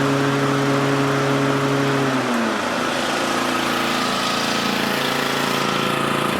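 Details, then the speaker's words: Toro 30-inch mower after installing a new spindle pulley with a replacement nut: engine settles into an even steady drone, smooth blade whir, no rubbing or squeal; previous noise gone. "Boom. No more noise. So we are good to go."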